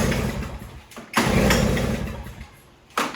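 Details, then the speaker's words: Toro CCR3000 snowblower, 5 hp Suzuki engine, restarted with an empty tank during summer storage prep: catches after a pull, runs a moment on residual carburetor fuel, then fades and dies. "Oftentimes there's residual fuel left in the carburetor, and as you heard, it ran for quite a bit of time, even without any fuel in the tank."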